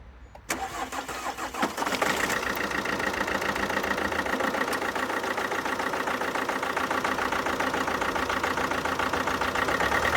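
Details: 2011 Alfa Romeo Giulietta II (Tipo 940) 1.6 diesel, engine code 940A3000, 77 kW, 312,000 km: short crank, catches, then lumpy uneven idle with steady stumble because one cylinder has no compression.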